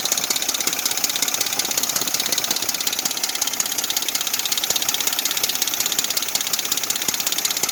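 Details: Dodge 4.7 V8 idling: fast, even metallic rattle and ticking over the idle without letup, diagnosed as the timing chain rattling in its guides.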